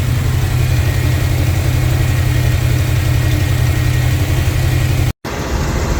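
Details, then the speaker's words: 1971 Chevrolet C20 truck V8 idling after installing a fan and fan clutch while the cooling system is burped: deep even idle with steady low pulse, no knocks or misses; normal idle. "She really sounds good. She needs some work though, guys."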